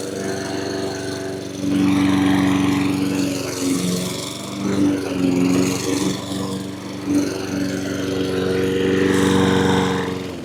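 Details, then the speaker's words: Honda HRN216 mower after new carburetor, air filter, fuel filter and spark plug fixed surging: small engine holds a steady even pitch with no rising and falling, running smoothly without surging. "Alright, I got my hopes up. It's not surging anymore. Just took a few pulls to get the fuel through the system, I suppose."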